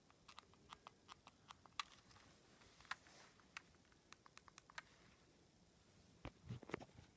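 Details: Left Nintendo Joy-Con: quick string of light, uneven clicks as the button is pressed repeatedly; squeaky button, owner suspects wear and tear.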